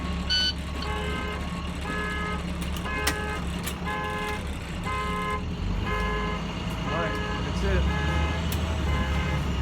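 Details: International DT466 MaxxForce diesel in a Blue Bird school bus idling after a DPF regeneration using fuel injector cleaner through the intake; evenly spaced beeps about once a second over the diesel drone are the open rear-door warning.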